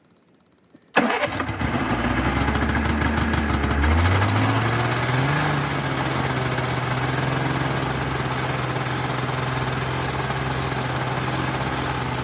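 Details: 1991 Yamaha Ovation two-stroke snowmobile, unrun for about five years, after carb cleaner freed fuel flow: a couple of seconds of cranking, then it catches, revs briefly and settles into a steady, even idle; normal start and idle.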